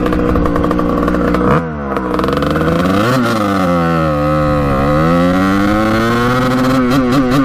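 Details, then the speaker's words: 1989 Kawasaki KX125 two-stroke after power-valve replacement, needle clip moved up one notch: revs out now but intermittently cuts in and out near the top, stuttering instead of clearing; owner suspects still too rich, may raise clip another notch. "revs out now but not all the time you can hear it kind of like in and out of revving up high so maybe the clip needs to be moved up one more notch because i think it might be too rich yet still"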